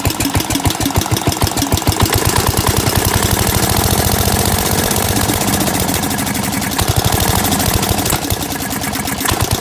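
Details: 16 HP Briggs & Stratton on a Gravely 816S with replacement Chinese carburetor, started after sitting a month: steady single-cylinder putter, about three even low thumps a second, no knocks; idles fine despite faulty governor linkage.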